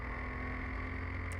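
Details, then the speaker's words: Scholar car on an airfield shakedown, accelerating uphill through third into fourth gear: a steady engine drone pulling smoothly with no whine, clunk or hesitation. There are no problems and it has really good pace. "Lovely, no problem at all. And into fourth, still accelerating up the hill. Got really good pace."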